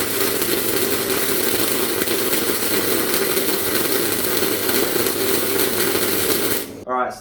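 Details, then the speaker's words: MIG welder turned to full amperage, wire speed unchanged: steady harsh loud crackling hiss; puddle grew hotter and flattened, too much heat for wire feed; amperage too high. "that was the amps too high. As you've probably seen in that video, the puddle started off alright, but then as it moved along, it sort of got hotter and hotter and hotter, and there was so much more heat going into the part than what the actual wire feed could keep up with."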